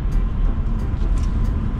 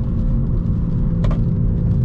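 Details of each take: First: BMW M240i cabin while driving after replacing the left wheel bearing that caused a loud hum rising with speed: only a steady, even low road rumble, no hum; quiet normal wheel bearing. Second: BMW M240i while driving: a steady low droning hum under road rumble, not from the engine, louder on right-hand turns and gone on left-hand bends, vibrating through the wheel; a wheel bearing is suspected.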